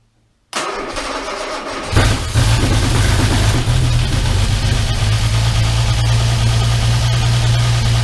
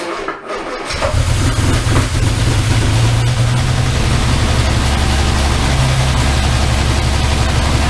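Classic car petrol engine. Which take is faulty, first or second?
first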